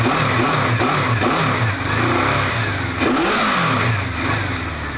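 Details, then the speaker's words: 1973 Honda CB500 Four recommissioned after carb reassembly, engine a bit worn. It seems to run on all cylinders with temperatures within ±15 degrees, and idle screws are still to be set by emissions. Smooth, even exhaust on throttle blips, no misfire; runs healthy. "Sounds good, so I'm happy with it. It just needs sorting out the idle screws here on each cylinder, but I'm going to measure the emissions and set it by that because the engine is a bit worn."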